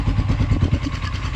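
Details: Blackbird 250 single-cylinder motorcycle after an engine repair following a seized cylinder, thought to have run without oil or with a clogged filter. Steady, even low thumping idle, about ten pulses a second, with no knocks. Slight smoke comes only from residual oil; fault fixed.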